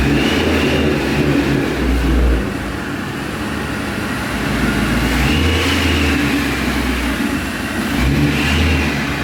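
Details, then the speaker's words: 2011 Mustang GT V8 with newly installed Paxton Novi 2200 SL supercharger on a base tune, first startup: deep even idle with throttle blips, clean supercharger whine rising with revs; runs smooth and healthy. "that right there ladies and gentlemen is such a good sign the car sounds super healthy and you know for the bass tune it's actually doing really well"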